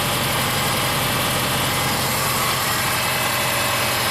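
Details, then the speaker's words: 2005 Subaru Forester 2.5 L manual with high-idle fault: idle about 1,200 RPM with purge solenoid unplugged, rises to about 1,300 when plugged back in, steady raised hum with hiss as it draws more air; high idle, cause not yet confirmed. "Now if we plug the solenoid back in, you can hear it's actually sucking in more air now. And the idle goes up to about 1,300."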